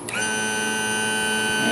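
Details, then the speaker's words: Newly replaced Sierra tilt/trim motor on a 2000 Honda 50 hp outboard, bench-tested via the engine switch, spins up quickly to a steady, clean whine with no grinding or labouring; normal tilt/trim operation. "getting a lot of movement sounds good should be fine"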